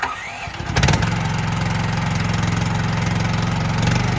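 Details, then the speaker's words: 2024 RODA RD380L mini skid steer loader, brand new, unused, 13.5 hp gasoline engine. Small engine cranks, catches within a second and settles into a steady, even idle with no misses or knocks; healthy start and idle. "So anyway, Justin's gonna start it up and show us how it operates, and then you guys can start bidding on it."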